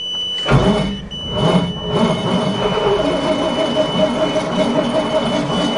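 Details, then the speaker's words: Cold start attempt on a 427-engined dump truck in winter, 64,754 miles, choke not working, owner suspects flooding; fuel pump running, pedal held down, long uneven cranking with a few weak catches that never pick up into a run; cranks but no start. "pumping doesn't even do anything. Fuel pump's working. Yeah, I can hear it getting some gas. It fires now and [Applause] then. Last try."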